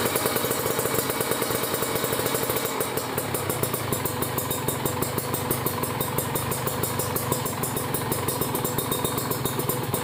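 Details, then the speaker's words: Kawasaki Ninja RR two-stroke, PWK30 carb retuned after fitting a ground "booster" wire: JJY needle clip second from top, pilot jet 42, main jet 140. Just started and slightly cold, it holds a crisp, steady idle with no misfires. "Kita coba dengerin ya suaranya ya teman-teman. Nih suara langsamnya kayak gini ya."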